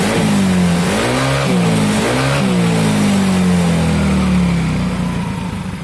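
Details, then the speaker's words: Soul GT bored up to about 150 cc with Sonic piston, BRT racing camshaft, enlarged ports and new valve seals, valves just adjusted: clean blips rising and falling smoothly, even firing, no knocks or rattles; normal revving. "Oke teman-teman semua semuanya sudah terpasang dan kita juga sudah setel klep sekarang kita hidupkan mesinnya"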